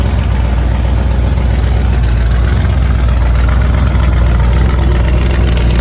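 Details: 1971 Chevy Nova race car, freshly refreshed 383ci small-block Chevy with TH400, first start on E85 with the distributor now locked out: a deep, loud, lumpy idle with a choppy beat of about four pulses a second, steady throughout; healthy big-cam idle.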